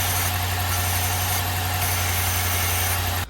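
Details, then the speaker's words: Engine idling with the PCV valve removed: steady low drone with an airy hiss, then it cuts off; manifold vacuum pulls through the open PCV port, a large vacuum leak that changes how it runs when the hole is covered. "Um, when you covered this hole, there was a noticeable difference in how the engine was running. obviously because that's a pretty big vacuum leak that we've created and so that's what was sucking the dollar bill down."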